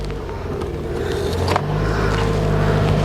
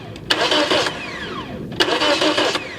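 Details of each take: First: 2009 Toyota Matrix 1.8 L, no crank/no start despite replaced ECM: after starter powered directly, engine cranks, catches and settles into steady idle; cause was a blown starter fuse, replaced with new fuse. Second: 2009 Toyota Matrix 1.8 L with a no-crank no-start complaint after an ECM replacement, starter fed 12 volts directly: two brisk, even cranking bursts winding down after release; starter is good, fault lies elsewhere.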